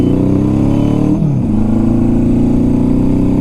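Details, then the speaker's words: 1976 Honda CB750 four-cylinder: pulls then eases off with slightly uneven beat, slightly missing on one cylinder and won't go anywhere if pinned; misfire because carburetors not tuned, needs dialing in. "But if you can hear, this bike isn't running on all its cylinders effectively. It's slightly missing on one cylinder, and if I do pin it, it's not going to go anywhere because it's just not tuned correctly."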